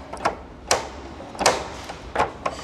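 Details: Toyota Hilux SR5 2.8/3.0 (1992–2004) instrument panel: dry, hollow plastic clicks in irregular bursts as the loose dash panel is shaken. Fix is securing the panel cover or replacing the panel.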